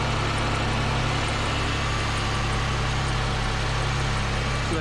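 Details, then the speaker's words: A 2005 Pontiac Grand Prix 3800 Series III idles steadily after lower intake manifold and water pump gasket replacement, with a quick high chirp from the alternator pulley. Spraying lubricant stopped it briefly, and the pulley likely needs replacing. "chirp that you can hear is coming from the alternator pulley i sprayed a little bit of lubricant on there and then always went away so i probably need to get in there and replace that pulley"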